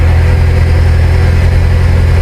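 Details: Mini Cooper after new spark plugs: loud, steady low drone at idle with an even pulse and no stumble; normal idle.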